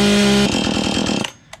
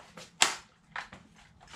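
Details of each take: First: Free roadside Husqvarna chainsaw, bar oil half full, not seized: strong, steady high-revving two-stroke buzz for about a second, then it cuts off cleanly; runs well, though the low and high speed screws could use adjustment and the chain is too tight. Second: Free chainsaw with water in the fuel, left to dry for two days; it was choked and primed in warm weather. A few sharp pulls, then it catches for a ragged second and dies: water in fuel.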